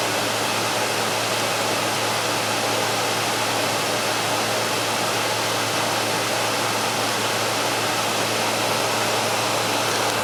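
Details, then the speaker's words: Frigidaire air conditioner with the compressor kicked on after a power-failure restart, blowing very cool air with hot air out the rear; even airflow over a steady low hum, no knocks or rattles: compressor and fan normal. "We're blowing very cool air. We have the hot air up the rear end like we're supposed to have."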